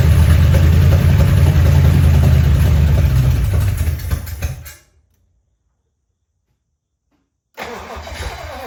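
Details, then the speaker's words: 1956 DeSoto Firedome, first start after sitting 24 years, no exhaust fitted: engine fires and runs rough and loud about four seconds, then dies; fuel pump not delivering despite cleaning, no lifter noise heard; stalls after brief run. "So, the fuel pump is not working even though I've taken it apart, cleaned it, and everything was functional, but uh the engine doesn't sound bad."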